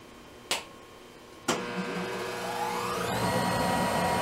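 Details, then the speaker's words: Monarch 10EE motor-generator lathe firing up: two sharp switch clunks, then a whine climbing in pitch as the motor-generator spins up and settles into an even, relatively loud hum; normal start-up. "And the lathe, this is a motor generator lathe, and it is uh, relatively loud."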